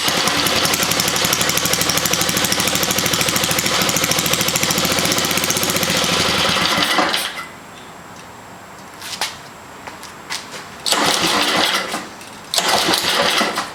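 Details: 1979 Toro 524 snow thrower small engine after freeing a carburetor throttle stuck wide open (which caused racing idle) and clearing mouse twine; fires quickly and runs evenly with a crisp steady beat for several seconds, then shuts down: normal running.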